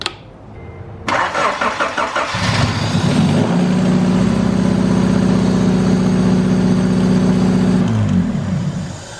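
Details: Honda Civic Wagovan D16Z6 engine: cranks, catches, then settles into a lumpy idle with uneven beat; one cylinder dead because its injector is getting no power.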